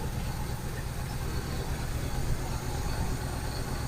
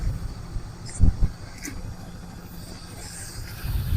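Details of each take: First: 1971 Buick Skylark: steady low idle rumble, no knocking or ticking, some smoke, probably from burning off Mystery Oil; needs oil change, idle may need setting, some vacuum lines possibly disconnected. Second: 1971 Buick Skylark idling on its fuel pump: uneven low idle with sharp exhaust pops and backfires; owners suspect a miss from a damaged spark plug wire.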